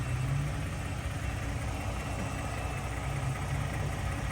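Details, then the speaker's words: 2018 lifted Ford truck with 3.5 EcoBoost idling normally, steady and smooth with only a faint normal engine tick, no wastegate rattle. "okay so as you can tell my truck is running and all seems to be quite it's got a little tick tick tick but that's that's the normal engine"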